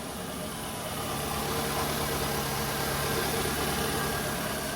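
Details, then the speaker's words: 2002 Toyota Camry petrol engine at idle with check engine light on: uneven idle with irregular low thump and stumble, a misfire from a failed ignition coil. "hey guys today we have a 2002 Toyota Camry we are having a weird noise coming from the engine and if you are having the same noise uh this is what you should do"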